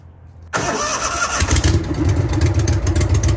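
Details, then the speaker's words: Trav-L-Vac 300 gas-powered utility box vacuum after new filters were fitted. The engine catches instantly and settles into a quick, even idle with air from the blower outlet. Runs pretty good; a clean normal start. "Runs pretty good though. And this is the air outgoing. Idle right now, so that's air outgoing out of the blower."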